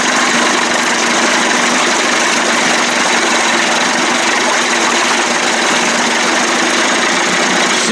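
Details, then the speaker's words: 1989 Johnson Tracker 25 hp two-stroke outboard, first start, running in gear on old burned NGK plugs: even steady buzz with no knocks or stumbles; smooth, water outlet clean, battery voltage rose 12.58 to 12.61. "nice and smooth water looks nice and clean wow it looks real clean"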